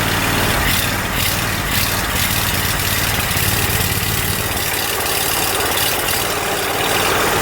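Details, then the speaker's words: Exmark zero-turn with Kawasaki FH580V 19 HP engine: uneven, lumpy idle swelling and sagging every second or so; surging and rough idle from missing carburettor Welch plug letting air in. "so there's a little cap that goes on top of that hole there that is fall out fallen out it's called a welt plug so two weeks working on this thing I finally figured it out"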